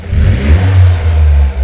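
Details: Toyota GR Yaris Rallye G16E-GTS turbo engine after fitting Weldspeed cast aluminium intake plenum and Kelford cams: deep, even note swelling with each throttle blip and settling cleanly, no hiss or stumble; no leaks, healthy free revs.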